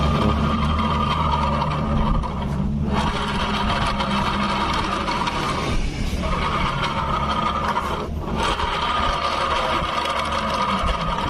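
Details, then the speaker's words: Automatic scooter rear wheel spun by hand: rough, continuous scraping grind with short dips, worse when turned backward than forward, pointing to a dry or worn part. "kali ini di sini di kesempatan hari ini kita akan memperbaiki suara berisik yang berpusat dari saat kita putar di bagian roda belakang ini"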